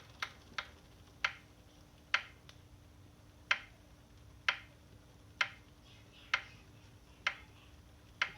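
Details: Saris H3 trainer: sharp, crisp clicks about once a second, slightly uneven, as the rider pedals slowly; source not yet found. Clicking while pedaling.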